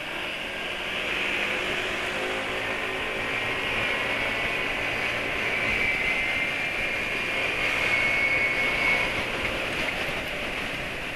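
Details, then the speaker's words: Motorcycle with a properly sized external intake, running Pertalite fuel yet performing like Pertamax: a loud, airy intake roar at small throttle grows louder as the throttle opens a little more. Healthy engine breathing through an open intake. "Ini sudah keras gitu ya. Kalau misalnya dipetot dikit gitu wis makin keras lagi suaranya."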